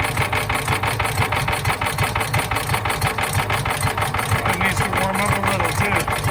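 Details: John Deere Gator 4x2, unrun for years, choked, with an electric fuel pump fitted: small engine idles with an uneven, stumbling beat and irregular misses; rough running from a dirty carburetor, later cleaned along with the jets.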